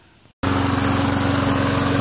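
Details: Craftsman Eager 1 mower with Tecumseh 5.5 hp engine after carburetor cleaning. After a brief gap it picks up and holds a steady, even running note with a regular beat; runs properly.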